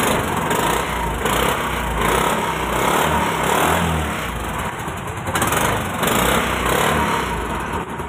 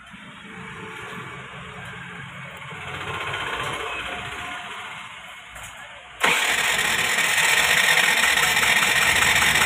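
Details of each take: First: Scooter that would not start despite spark and good plug, after tappet clearance adjustment (tight tappets): small single now starts and keeps a steady beat with no misses or stalling; normal running. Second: Scooter with spark and clean plug still won't start after oil in cylinder: starter spins fast and evenly, about four beats a second, never fires; tappets too tight hold valves open, no compression.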